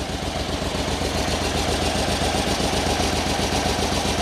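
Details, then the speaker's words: 27-year-old Yamaha Royal Star 1300 V4 with under 5000 miles, idling: lumpy, limping beat running on three cylinders, number three dead with a stone-cold exhaust pipe; it sounds vacuum-leaky, a sucking noise. "okay so it's number three cylinder and it is properly dead it sounds not sure that's coming out on the mic sounds kind of vacuum leaky to me a real sort of sucking"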